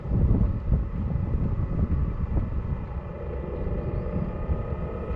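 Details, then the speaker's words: Chinese diesel heater after fitting exhaust silencers: deep, steady low roar with slight flutter still at full strength, only slightly quieter; owner suspects the motor bearing, not confirmed. "well it seems like it's the bearing on the mortar i know it's quite a lot quieter well not a lot"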